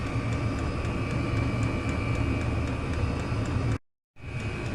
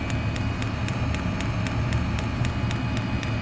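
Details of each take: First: Chinese diesel heater running on kerosene, cover off, before noise fix: steady rapid ticking about three per second from the dosing fuel pump, faintly above the fan roar; normal pump pulsing that owner finds annoying. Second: Chinese diesel heater running on kerosene, cover removed: the fuel dosing pump ticks sharply and evenly, about four times a second, over a steady low heater rumble; owner plans to wrap the pump to absorb the noise.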